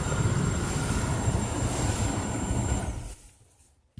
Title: Get ac making a hissing noise.